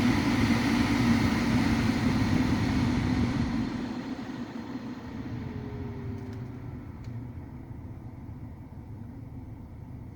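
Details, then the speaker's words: 2008 Ford Focus 2 (facelift) heater blower after the motor was dismantled and lubricated with WD-40: at the lowest speed, a softer steady whoosh with no whistle or squeak; it runs smoothly. "на минимальных оборотах нет свиста и не скрипы c"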